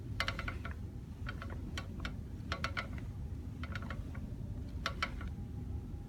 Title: Rattle noise from the rear break